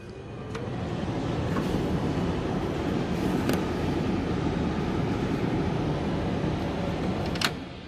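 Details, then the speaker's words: Cummins truck heater/AC blower after the air passages were cleaned out and the blower motor and blower resistor reinstalled: strong, steady rushing air builds and holds with no whine or rattle; normal blower airflow, works like factory. "look at that wind now seems to work completely fine everything works"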